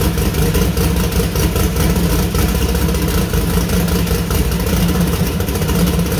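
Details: New 2000+HP LS V8 first start (Dart LS Next block, 4in stroke, 4.140 bore, Brodix BR3 heads, .750 lift solid roller cam): deep steady lope, even firing, clean revs, no ticking or knocking; runs healthy, small oil and water leaks noted.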